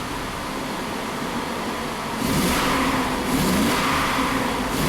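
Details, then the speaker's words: 2001 GMC Sierra V8, Bank 1 misfiring under load, hard to start: idling then quick throttle blips, revs rough and uneven, not running on all cylinders; smells very rich, O2 sensors reading rich. "I mean, it responds, but definitely not running on all cylinders."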